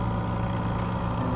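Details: Air-conditioning unit on a trailer running after troubleshooting, compressor drawing about 6.8 A (65 A inrush) and fan 0.66 A; steady low hum, no buzzing or labouring; the unit sounds healthy.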